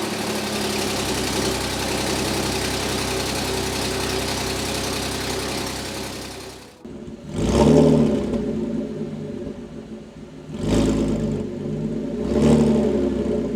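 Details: Rebuilt Audi S5 3.0 L supercharged after timing job: long steady run then several clean throttle blips, no knock or rattle; smoke from valve covers, owner believes it's burning off.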